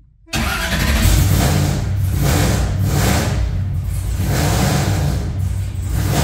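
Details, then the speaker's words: Engine just fired up with ignition wires newly installed: loud, choppy, lumpy idle and rough revving as a whole bank drops out; misfire, owner suspects a wrong ignition wire. "we better check ignition wires yeah I think we're missing one or something"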